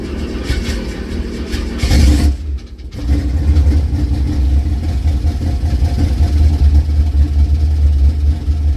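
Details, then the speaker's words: 1976 K5 Blazer that sat 5-8 or more years, oil black and unchanged: a deep strong idle drops out briefly, then picks back up and holds a firm steady rumble. Confirmed runner. "well it's a confirmed Runner"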